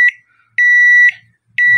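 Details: Microwave after disconnecting the supply to its noisy fan ("hélice") motor, run at setting 2 down to zero: three evenly spaced high beeps about half a second apart, clean and steady, no motor noise; normal end-of-cycle beep.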